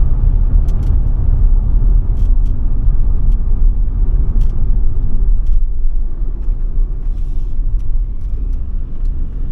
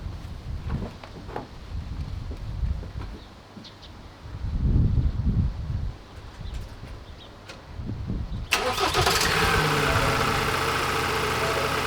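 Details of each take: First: Ford Transit Custom diesel after new turbo, DPF clean and ECU remap, driving under throttle: deep, even rumble pulling steadily, no knocks, rattles or whistles; much quicker, running nicely, normal. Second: Ford Transit Custom diesel starting and running rough with a steady droning whine from catastrophically failed turbocharger bearings; oil pouring out the bottom of the exhaust, turbo to be replaced.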